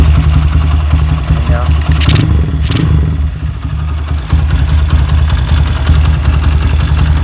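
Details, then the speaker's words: Motorcycle just fitted with an EDO E2 camshaft replacing the S1: lumpy, uneven idle with a loose clatter over a deeper exhaust beat; rough running after the cam swap, more power but cause unknown. "Dan inilah hasilnya, teman-teman. Suaranya sangat kasar dengan E2, Bro. Anda pasti bisa mendengarnya. Lihat, suaranya benar-benar kasar."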